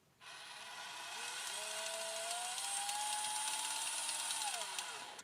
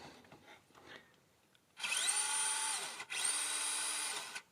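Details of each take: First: FMS FCX24 RC crawler, low gear selected (high gear works fine), jerky driving: high whirring gear whine rising with motor speed with a ragged clicking grind through it; a stripped gear in the gearbox, found on teardown. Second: FMS FCX24 RC crawler gearbox in high-speed gear: two smooth, even motor-and-gear whines, forward then reverse, steady pitch with no grinding or clicking; the clicking-grinding appears only in low gear. Normal gearbox operation.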